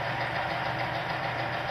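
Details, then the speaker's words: Oil lubrication load-test rig just after one cap of additive was added, running under weights: continuous harsh grinding, steady throughout, the oil film still failing and the test part scoring. "not very not it's not doing very well so we're going to let that sort of cly down"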